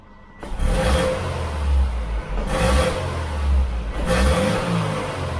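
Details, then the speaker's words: 2006 Subaru Impreza 2.5L single cam after fixing the dirty MAF sensor, not in gear: three crisp throttle blips rising straight away and falling cleanly with no hesitation; easy fix, all good. "yeah i think we're good easy fix"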